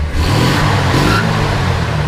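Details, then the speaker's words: 1963 Ford F100 Custom Cab Deluxe pickup, 223 inline six with three-speed column shift; short throttle blip, picks up cleanly with a deep even exhaust, no knocks or misses; runs pretty good; normal engine revving. "walk down the side here you can hear it runs pretty good actually rev it up a little bit"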